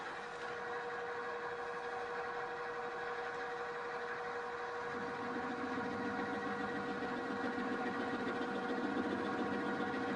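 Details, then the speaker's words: Milling cutter held in a drill-press drill chuck, a flexible setup. The steady spindle whine turns to rumbling chatter while feeding across the part, leaving surface irregularities of about ten-thousandths of an inch. "and it's sort of working but you can hear some rumbling some chatter we feed this across the par"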